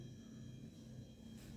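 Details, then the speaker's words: Beko refrigerator, 2023, about two weeks old, recorded from one to two metres and near the compressor; steady low hum with a faint thin whine, compressor running almost constantly, off only about an hour per day, measured 50 dB vs 37 claimed. "такой холодильник в эксплуатации примерно 2 недели с момента покупки постоянно такой шум компрессор выключается буквально на час за 24 часа работы"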